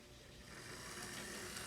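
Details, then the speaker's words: Modified Athearn P42 HO scale locomotive, on track with shell fitted, after modification; even quiet electric whir with no ticking or grinding, smooth running. "It's complete. This is how it runs."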